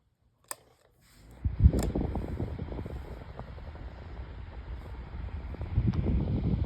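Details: 8-inch Better Homes and Gardens metal table fan, remade, started on low speed: a click, then a steady low hum and soft airy whoosh, with a tiny bit of bearing noise.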